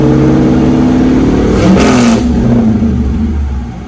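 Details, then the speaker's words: BMW with LS V8 swap, Holley Terminator X, after new Y-pipe fixing exhaust flow restriction and DIY cold air intake; deep steady rev climbs, holds, falls cleanly, sturdier and slightly deeper than before, no rattles or popping: healthy exhaust. "Oh yeah, that's pretty sturdy. A lot sturdier than it was. Deeper than usual. Not much, but maybe just a little bit."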